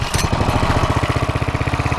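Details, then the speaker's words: Mini bike that was overheating on black oil, idling a couple of minutes after an oil change: crisp, even thumping idle about a dozen beats a second, no skips or rattles, runs smoother; normal idle. "It sounds like this thing runs a little bit better now. Sounds like it runs smooth."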